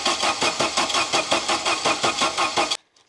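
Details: Saab 900 Turbo Commander, first start attempt after 10+ years parked, after freeing a stuck fuel pump: steady cranking about three beats a second for nearly three seconds with no firing; cranks but won't start, cause unknown.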